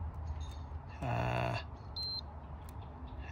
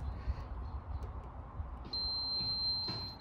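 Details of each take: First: Mitsubishi L200 whose battery goes flat in about a week, drawing about 400 mA against a 50 mA maximum: amp hound probe on fuses, low hum then a changed, warbling tone on one fuse showing a drain on that circuit. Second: Mitsubishi L200 whose battery goes flat in about a week, drawing about 400 mA against a 50 mA maximum: amp hound probe on a miniature fuse gives a steady long tone with no change, so that circuit draws no current.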